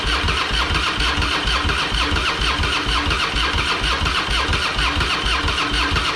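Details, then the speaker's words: Harley-Davidson Fatboy with Screaming Eagle kit (new heads, ignition, pipe), sat for a couple of years, fresh high-octane fuel, battery tended overnight: steady rhythmic starter churning about two beats a second, engine turns but never catches; crank no-start because the fuel valve was left off. "hmm interesting it's helpful if I turn the fuel on first idiot"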